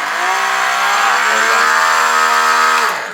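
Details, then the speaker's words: DeWalt 3000 PSI 1.1 GPM 15A corded electric pressure washer switched on with the water supply forgotten off: steady high motor whine running light and free, then winding down; pump running dry. "I got to disconnect it cuz I forgot to turn on the water yeah that's my fault you got to turn on the water"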